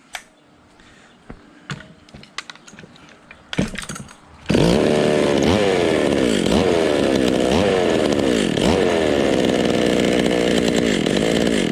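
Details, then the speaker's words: Vintage Stihl 020 top-handle chainsaw after a new spark plug wire: it fires and revs high, but the pitch sags in quick repeated dips as it abruptly cuts out as if switched off, not like a fuel fade; cause unknown. "But I mean, it just acts like somebody just shuts it off. So that's just weird."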